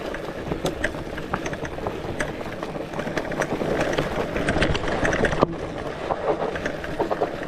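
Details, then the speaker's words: Lectric XPeak 2.0 e-bike on a mountain bike trail, low assist and gears: over trail noise, a quick, uneven clatter of sharp ticks following the bumps from the thru-axle loose and rattling in its hole; wheel stayed secure. "You can really hear that rattling because the it has a straight through axle. There was no uh issue with the axle with the wheel coming off the bike. It's just loose and and shaky and just rattling within the within the hole."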